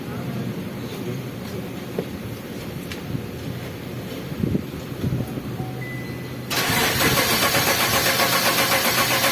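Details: Engine with stuck fuel pump motor; starter churns steadily at about four pulses a second for several seconds but never catches: crank no start.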